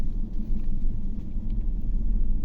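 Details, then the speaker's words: GMC Yukon V8 (2015/2018) at idle with a blinking check-engine light: deep, lumpy, stumbling pulse, RPM going up and down and the engine vibrating. Cylinder 6 is misfiring (P0300), with injector control-circuit short code P124D; injector or its wiring is suspected. "इसमें मिसिंग है इसलिए वो cluster metre में तो RPM up down हो रहे हैं, इंजन भी वाइब्रेट कर रहा है और यहाँ से हमें कंप्यूटर में भी बता रहा है, यानी कि 6 नंबर में फॉल्ट है।"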